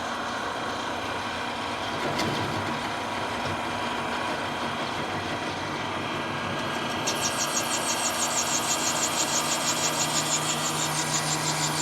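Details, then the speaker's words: Lathe turning down a hardened-steel GM 12-bolt axle bearing journal for C-clip eliminators: steady hum breaks into a harsh, pulsing high-pitched buzz as the tool chatters; speed then dropped from 380 to 250 rpm to cure it. "trying to chatter on me. Let's slow it down."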